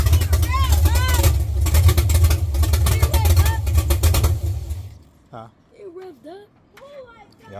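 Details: First start of an LS-swapped Chevrolet C10 after sitting 3 years, wired with a Holley Terminator X: V8 catches with a deep steady burble, revs cleanly and settles before voices take over; normal running, healthy first start.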